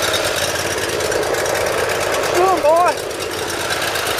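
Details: Cold start on full choke of a Briggs Intek V-twin on a Dixon mower. It follows valve lash adjustment, reaming of the Nikki carburetor low-side jet journals and an oil change. It catches quickly and runs steady with no stumbling or surging, and no starting fluid needed. Normal cold start.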